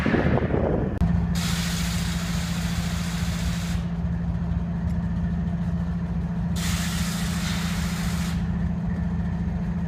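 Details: Stranded BNSF diesel locomotive in Boulder, Colorado idling with a low steady drone and ragged beat, broken by long air hisses; misfiring, and a blown air compressor is suspected but not confirmed.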